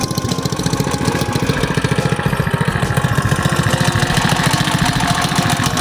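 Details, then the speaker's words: 212cc engine on a CT100U minibike, first ride and break-in after installing a billet rod and flat-top piston: even, regular firing pulses at a steady idle with a deep, full thump and no knock, a healthy idle that now sounds deeper. "So good, but it's got a different sound. Yeah. Like it's like a deeper sound to it now."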